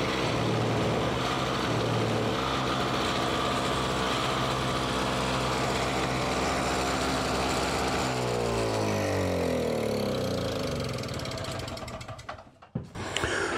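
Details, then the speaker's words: Simplicity 520 single-stage snowblower (5 hp, 20 in), first start on choke after electric starter repair, auger engaged: steady even single-cylinder beat, no surging, winds down cleanly at shutoff; normal smooth running. "so there we can see it actually runs it it runs good nice and smooth it wasn't surging or anything like that"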